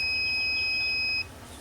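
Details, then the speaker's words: Tormach PCNC440 tool changer low-pressure switch set point adjustment: steady multimeter continuity beep holds about a second, then cuts off as switch contacts open near 85 psi while pressure rises. "okay so that kicked off that 85 PSI CR it just teeny tiny more"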